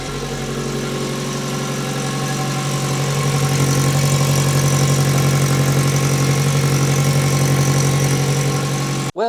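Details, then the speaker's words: Turbo Mazda MX5 Miata restarted after on-track fire repairs: steady idle with faint rhythmic puffing tick from slight wastegate exhaust leak, gate and sealing ring not meeting; fixed by lapping the wastegate. "The wastegate was leaking ever so slightly. That was actually a fault with the wastegate."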